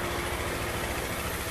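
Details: Honda CG160 Cargo single after repair of its "tec tec" top-end ticking noise (bearing procedure): steady, even idle thump with no ticking, valvetrain quiet; normal idle.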